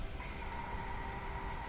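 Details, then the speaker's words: Propane fire pit that won't light, valve opened: faint steady high whistle and soft hiss of gas rushing in, showing normal supply pressure; no whistle would mean no fuel, such as a closed tank. "you know if you can hear that on the on the video but that's the gas rushing in when i get that gas in there give it a spark and i get ignition"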